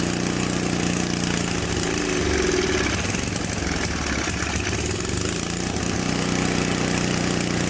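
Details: Simplicity 560 snowblower small single-cylinder engine, primed and fresh gas added during a tune-up, in cold weather: fires up and settles into a steady, fairly even run with a slight stumble, a small hiccup at idle; running fine overall.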